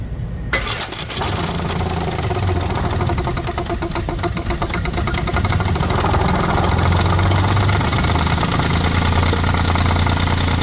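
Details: Audi 3.2 V6 with ~20 codes incl. crank/cam correlation: starts and settles into rough idle with uneven knocking rattle three to four times a second; owner suspects worn timing chains.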